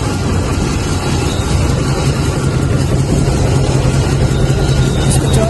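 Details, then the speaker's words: Toyota 1RZ petrol engine at idle: rough with uneven thump about every half second and a dead beat; cylinder 4 misfiring despite spark present and new plugs, traced to a cracked cylinder 4 valve. "हम आपको दिखाएंगे कि इसमें क्या fault आया है जिसकी वजह से चार नंबर प्लग काम नहीं कर रहा"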